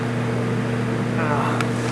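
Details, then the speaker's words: Refrigerator (R134A, 9.2 oz charge) that is not cooling, heard at the back: the condenser fan motor gives a steady, even hum with no ticking, scraping or wobble; the fan runs normally and the condenser is clean. "But the condenser fan motor is working fine. Condenser's clean."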